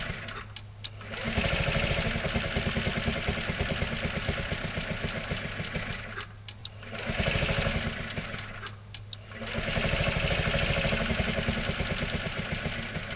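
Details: Carbureted scooter with fuel line clamped before the fuel pump, hydroxy cell off: engine fires and runs roughly a couple seconds, dies, then another cranking burst; keeps stalling; fuel starvation.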